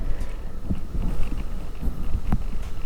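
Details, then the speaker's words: Samyang 24mm f2.8 lens on a Sony A7c, which focus-hunts all the time: irregular soft low purring buzz starting and stopping in bursts, like a cat purring; loud autofocus motor noise. "like a cat, doesn't it? It's literally purring. That's not great."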